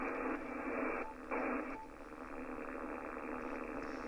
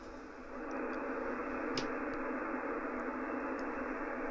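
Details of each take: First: Ham radio receiver on 80 metres, loop-on-the-ground receive antenna switched in on an empty band: steady raspy, slightly pulsing buzz. This is RFI from a neighbour's running lawnmower, long mistaken for a faulty loop. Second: Ham receiver on 80 metres via loop-on-the-ground antenna after the neighbour's lawnmower was switched off: just a soft steady hiss, no buzzing or pulsing interference. Clean noise floor, interference source removed.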